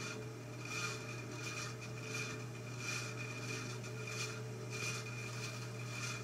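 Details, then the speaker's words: 1948 ILG model 213 exhaust fan, rewired motor, first test run on the low-speed winding: quiet, steady motor hum with a soft slow blade swish and no rattles or scraping; low speed runs smooth, unlike high speed. "i did notice that low speed did run really smooth but high speed however it didn't seem like it sounded all that great"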